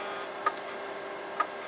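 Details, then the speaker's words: Imation LS-120 SuperDisk drive with SuperDisk inserted: lone sharp ticks roughly a second apart over a faint motor hum as the head constantly recalibrates and never reads the disk. "It's not reading at all. It's not reading. Yeah, it's just constantly recalibrating."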